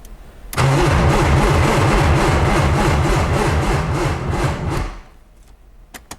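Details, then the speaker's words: 1995 BMW E36 M3 after sitting for years, cranking with MAF just reconnected and weak battery: fast even cranking pulses with a dry scraping edge for about four seconds, sounds like something rubbing; rubbing noise while cranking. "it sounds so weird like sounds like it's rubbing on something maybe i shouldn't keep trying to turn it on"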